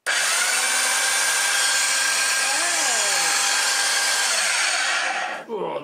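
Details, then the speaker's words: Car boot sale vacuum cleaner after cleaning, reseating frame and refitting belt: steady high-pitched motor whir with even airflow, no belt slap or squeal; normal running. "doesn't that sound nice"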